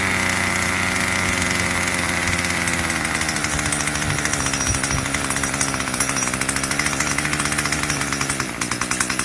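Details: Craftsman 25cc two-stroke string trimmer, found roadside and would only fire on starter fluid, after a carburetor tune: buzzes at high speed with steady crisp rapid firing, no stumbling or surging; runs clean.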